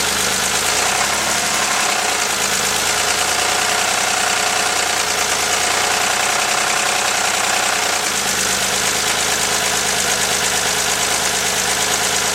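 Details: 1983 Porsche 911 SC with stock 3.0 air-cooled flat-six at steady idle with a fast, light ticking knock; owner fears rod knock, not confirmed.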